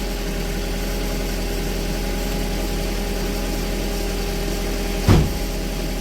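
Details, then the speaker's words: 2001 VW Beetle 1.8T with code P0322 and intermittent hard starting, idling after it started right away this time: steady, even idle, low smooth hum, no misfire or stumble, one short clunk near the end; problem not present, normal idle. "now the car is not doing the problem now ah I don't like it because when you're not having the problem present so it make you the it makes hard to do it you know"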